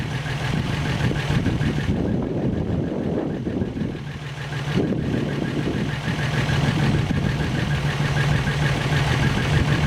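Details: First start after engine rebuild, warm at 195°F thermostat temperature, oil pressure pegging a 30 psi gauge; steady, even idle with low smooth beat, no knock or tick, sounds healthy; slight exhaust leak and some smoke noted.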